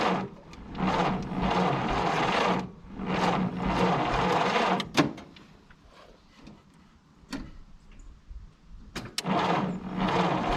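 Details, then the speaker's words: 1951 Willys CJ3A Jeep, off the road 52 years (last tagged 1969), cranked in bursts on a 6-volt battery with starting fluid poured in. Spark is weak; it pops slightly but won't catch, possibly flooded. "But did you hear that? Did you hear it? Yeah, we still got charged. Good. It did pop. Just a little, but it did."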